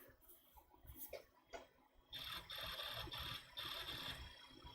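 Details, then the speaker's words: Apple Power Macintosh 7100 failing mechanical hard drive, picked up by the webcam microphone: repeating bursts of rapid fine ticking with a thin high chirp that never settle, the drive stuck in a seek loop; the hard drive is clearly shot. "and yeah that's the thing the hard drive is clearly shocked right"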